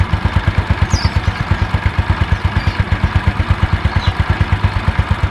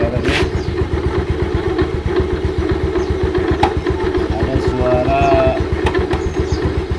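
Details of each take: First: About 2007 Yamaha Mio Sporty after repair of CVT grinding caused by the kick-starter pin rubbing the pulley shaft: even, steady idle with no scraping or rattle from the CVT; smooth and healthy. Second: About 2007 Yamaha Mio Sporty, slow pickup: fast even idle about four beats a second with a coarse rasping grind from the CVT at idle and throttle, caused by the kick-starter pin rubbing the pulley shaft to the crankshaft.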